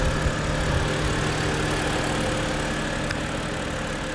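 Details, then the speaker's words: 2007 BMW 328i E90 straight-six, automatic (believed GM 6L30), 248,000 miles: steady, even idle hum with smooth low throb, no knocks or misses; engine bay check noted possible slight blow-by at oil cap. Normal idle, running clean. "But yeah, I mean, it's a really good running car. The transmission shifts perfectly."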